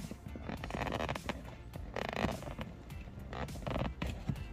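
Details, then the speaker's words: Leather car seat creaking: short rubbery creaks and squawks in bursts where the plastic seatbelt buckle holder rubs the seat leather. The fix is lubricating with water-repellent white grease. "Another place you get those sounds from is here, right where your seatbelt holder meets your leather. Sometimes it rubs off them and you'll hear"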